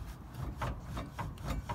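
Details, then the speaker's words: 2009 Land Rover Freelander 2 XS rear handbrake shoes, adjuster backed off one click from binding: light, even scraping swishes with each wheel turn. Shoes just kissing the drum, correct adjustment aiming for 3–4 lever clicks. "Okay, that's too much. That's now binding, so I'm just going to back it off one. There we go, that's just starting to rub."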